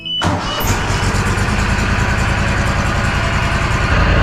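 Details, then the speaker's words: Walker SuperBee 52in mower, about 1,177 hours, after spark plug and plug-wire fix with fuel pump heard running: brief crank then clean, steady start. "This was a little low on the one tank. She's good to go. She's ready."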